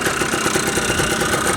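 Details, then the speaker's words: Yamaha Blaster two-stroke after a top-end rebuild, cold, on fresh oil with 32:1 premix: fast, even buzz holding a steady idle with no knocks or misses and only a tiny bit of smoke. Normal idle. "it sounds good she idles uh no smoking still not even smoking after I did the rebuild"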